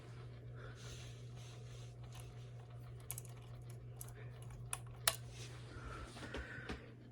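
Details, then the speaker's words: Unknown-brand hugger ceiling fan, dirty, running on medium: steady low motor hum with irregular light ticks and scrapes; owner suspects bearings, scraping, or the ground wire, cause unconfirmed. "let's see is medium I don't know what that sound is it's either bearings or it's scraping I or maybe it's the ground wire that I couldn't get to do anything I don't know either way that is making noise"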